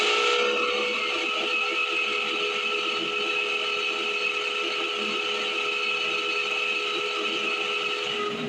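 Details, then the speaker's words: 1978 Chevrolet Camaro blower motor running after spraying lubricant: continuous high, thin squeal over the fan rush at steady pitch; blower motor squealing, owner expects to replace the motor. "Sparks sounds like an elephant under the dashboard that's pretty awful I'm probably gonna have to just change that whole motor"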